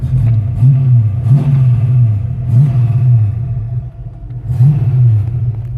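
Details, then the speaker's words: 1985 Ford Mustang GT V8, about 96,136 miles: low burble rising and falling with regular throttle blips every second or two, smooth and clean with no knock; healthy engine, normal running with revving. "All right, well, we'll close everything up, fire it up, and let you take a look around inside and hear it run."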